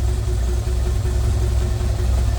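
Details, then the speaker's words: 1928 Ford Model A race car with 4-port overhead valve head conversion, ice cold, choke partly out, good oil pressure: steady even low idle rumble with no knocks or misses; normal cold idle. "Let me just let it idle down a little bit. And it's still out a little bit. It's ice cold. So, but we got really good oil pressure."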